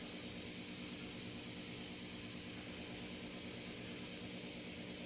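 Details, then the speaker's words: Shop hydronic heater left cold at 40 degrees because the system wasn't bled after recent work: steady, even hiss of trapped air escaping from the open bleeder, the loop air-bound and needing bleeding. "i didn't bleed the system out so we've got to get some water to come out of this breather you can hear it"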